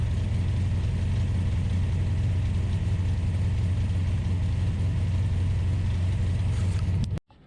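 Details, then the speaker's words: Ultima GTR with an American V8, warmed up to temperature (gauge reads only about 60 degrees), fans pulling hot air; deep, steady rumble holding an elevated even idle before shutdown, high idle. "but it's definitely hot because the fans which work on a switch i found uh were pulling hot air so it was idling high thoug"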